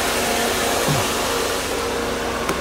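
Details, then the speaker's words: 1992 Mercedes 300E W124, M103 engine, intermittent overheating in heat waves; auxiliary cooling fan run at high speed via added manual switch; loud steady rushing whoosh, no pulsing, grinding or squeal; normal high-speed fan operation. "some people never hear their highspeed fans here how loud that"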